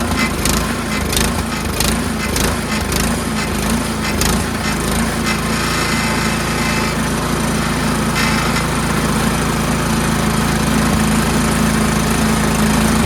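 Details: Troy-Bilt Storm 2410 two-stage snowblower, old carburetor, just after the pilot jet was blown out and refitted: slight rise and fall in engine speed, easing off, a little better but still surging; governor linkage tension spring also suspected.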